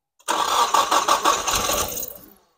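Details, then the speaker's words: Rebuilt 600hp Nissan SR20DET, cover off: starts and runs briefly with sharp tick about six per second over idle; oil tube for number one cam lobe partly restricted, not lubricating it; to be removed, cleaned, reinstalled and rechecked. "all right guys what we found is that the oil stick tube for number one cam lobe it's not lubricating the cam lobe uh very well it has a slight restriction"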